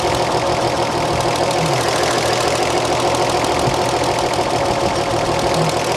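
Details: 1938 Chevrolet engine, warm and running during valve lash adjustment, exhaust set at 0.014 in: light, even valve tick at a steady rate with no extra clatter; valves sound correctly adjusted.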